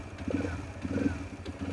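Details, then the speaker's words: TVS Raider BS6 with a missing problem, idling with fuel pressure near 50, judged fine: quiet idle that surges and sags roughly every 0.7 seconds instead of holding steady. "अभी भी stroke कम ज़्यादा unstable है, और stroke अभी भी stable नहीं हुआ।"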